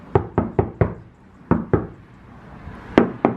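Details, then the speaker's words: Infiniti G35 rear panel being sanded: hand knocks give dull, dead ceramic-like thuds with no metallic ring; thick layer of body filler (Bondo) over the panel. "that's supposed to be metal bro that [ __ ] sounds ceramic as hell my uncle went crazy on this [ __ ]"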